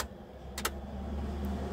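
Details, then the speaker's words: 1968 Datsun 1000 shed find with ignition switched on: a steady, even low hum from the two-speed heater blower with a brief key jingle. The heater fan runs normally. "so if you can hear that that's the heater heater fan two-speed"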